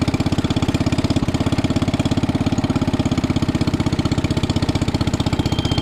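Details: 1961 International Cub Cadet Original, 7 hp Kohler single-cylinder, started on choke and still a little cold while warming up: steady, even thumping at a fast regular beat, no misses or knocks; normal running.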